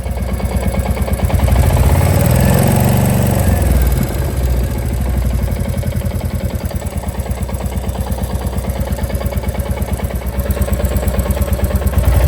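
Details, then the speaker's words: Royal Enfield Classic Reborn 350 (J-series, BS6) fully hot after about 15 km: single-cylinder idle with a light metallic clatter on each firing beat. Combustion clatter attributed to a hot, lean-running engine, not tappets. "after 15 km when Engine becomes Untouchable so at that temperature you feel the clatter"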